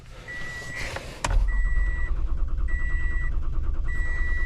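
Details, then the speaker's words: 2015 Toyota Sienna that won't start: steady even cranking with the security chime beeping over it, engine never catches; no fuel, traced to an open fuel pump circuit. "But then I got here and it actually cranks, so it's a crank no start."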